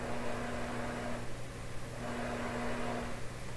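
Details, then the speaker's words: Westinghouse tube console receiver on FM (not stereo), tuned between stations: a quiet steady low hum that rises with volume, with a faint buzz and hiss, disappearing when a station is tuned in; source not pinned down. "Let's go to FM. We're just on FM, not FM stereo to start with. Now, do you notice the hum has appeared and it's volume oriented?"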